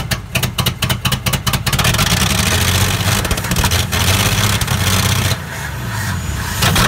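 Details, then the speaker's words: Dodge D300 slant six military truck, long stored, second battery, fuel poured into carburettor: choppy starter bursts then engine catches and runs rough and uneven for several seconds. "all right all right let's put a bit of fuel in this cob okay go"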